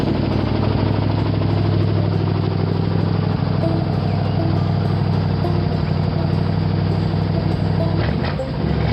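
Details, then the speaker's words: Ford V8 that sat all winter, started with gas down the carburetor: loud running with an uneven loping beat and a dull knock through the rumble. Rod knock and misfire, running on seven cylinders. "well even on seven cylinders she sounds pretty good to me"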